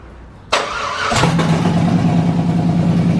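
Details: First start of an LS V8-swapped S10 Blazer after wiring the fuel pump and hearing it prime: short crank, quick catch with a rev flare, then a steady deep even V8 idle; normal, healthy start and idle.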